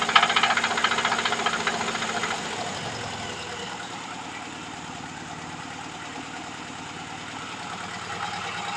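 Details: VAZ 2103 (Lada) engine: sharp regular knocking about four per second over the running engine, fading as it settles; engine knock, source undetermined.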